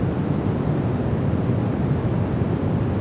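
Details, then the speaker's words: Rodecaster DUO with Sennheiser MKE 600 shotgun condenser mic in silence: steady, low rushing noise floor with no rhythm, gone on a dynamic mic; owner suspects faulty 48V phantom power in the Rodecaster. "you can hear that like really hum not hum but it's it's like this low-l noise floor"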